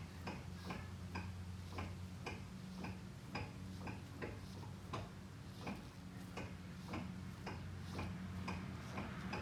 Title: Front CV axle knocking sound 1